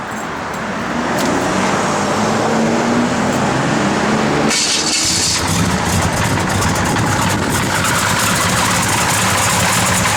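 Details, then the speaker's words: 1971 Chevrolet Chevelle SS with a 496 ci big-block V8, Holley 4-bbl, headers, HEI and dual exhaust: it fires quickly and settles into a loud, steady rumble with no knocks or misses, a good-running healthy idle. "Again, good running big block, guys. This thing hits. This is a good running son of a gun right here."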